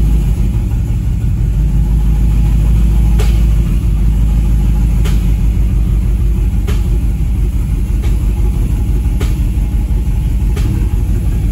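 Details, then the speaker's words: 2015 Camaro SS with a heavy, uneven loping idle and occasional sharp pops about three a second: a misfire, cylinder not yet pinpointed. A scan tool and timing check are planned. "yeah it's pretty bad guys so i'll put my scanner on it and see if i can pinpoint what cylinder it is again"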